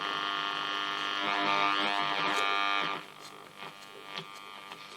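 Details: Tela Verta 54A valve radio, circa 1946–48, brought up to full power on a variac: a harsh, rasping buzz over a steady hum that swells then drops away, because the speaker is wired directly to the 6V6 output valve with no output transformer.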